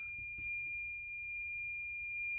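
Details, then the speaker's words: Boat generator panel switched on with shore power and good battery voltage (Pursuit 365 Sport Coupe); continuous high piercing tone over faint low hum – fire suppression system alarm sounding, overridden to get the generator working. "So let's turn on our generator panel. Oh, we got an alarm right away going off. Doesn't sound like it's this panel though."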